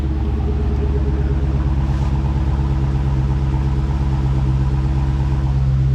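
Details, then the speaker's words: 2015 Dodge Charger SRT Hemi V8 after FRP MDS delete kit (OEM non-MDS lifters and cam) and tune, replacing destroyed lifter: deep, steady V8 burble at idle, even beat, no skips or ticking; not misfiring, running very smoothly. "It's not misfiring at all. It's running very smoothly."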